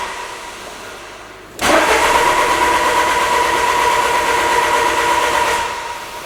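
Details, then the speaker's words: 2000 Peugeot Partner with a brand-new Bosch crankshaft sensor fitted: steady even starter churning for about four seconds with no firing; cranks but won't start, it ran on the old sensor. "so at this point i was like what's going on i just replaced it with a brand new boss sensor and now it doesn't run again"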